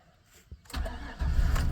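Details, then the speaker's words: 2002 Chevrolet Silverado, 185,124 miles, check engine and ABS lights believed on: quick crank, fires right up into steady even idle with good oil pressure; clean healthy start. "Fires right up. It's got good oil pressure."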